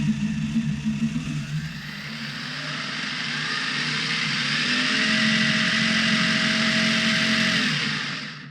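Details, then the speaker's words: Prometheus blaster upgraded to Sunny Sky 2216 2600kV brushless motors with aluminum flywheels, bench test at full 16 volts: whir climbs smoothly, holds a clean high whine, then winds down; motors running normally. "That's running all the way up at the 16 volts. I don't think you'll need that much, but that's the way I set them."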